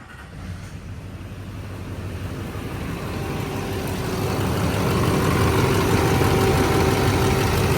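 Diesel catches and builds into an even clatter, about four beats a second, steadying as it runs after the fuel was bled.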